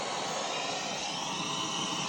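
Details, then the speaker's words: Pole Position II arcade machine: constant even hiss over the game sound with no rhythm; sound output noise fault. "The sound is very strange, but we have a very working pole position too."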